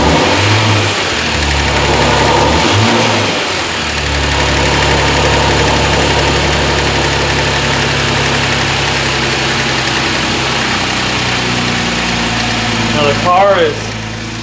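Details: Kia Stinger GTS 3.3t, 66,000 miles, just after HPS cold air intake install, mic placed farther away: strong intake and turbo rush on start-up, then settling into a steady, even idle with no knocks or misses; normal idle.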